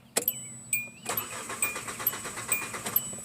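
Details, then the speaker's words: Hyundai Elantra after reconnecting a loose starter terminal: the starter cranks with a steady uneven chug and one brief near-catch but never fires. Crank-no-start because a fuel leak is pouring gasoline, leaving no fuel pressure. "so here's what's going on that is your problem it's just pouring gasoline out so we have no fuel pressure"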